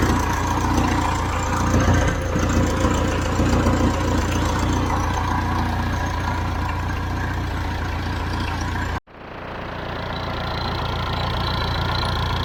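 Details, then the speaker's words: Hesston 620 swather diesel after sitting about 10 years, started without ether; steady low idle with an even chuff, a brief dropout near nine seconds, then settles back to a smooth, normal run. "I bet you we've I've started over 200 250 and then it still amazes me how something can sit this long and start without ether"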